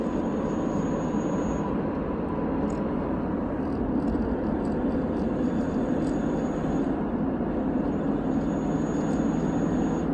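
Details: VW Jetta TDI, BEW engine, 5-speed manual: thin whine under load that began a few days ago, audible in 3rd, louder in 4th, clearly in 5th, over road and engine noise; owner suspects differential or turbo.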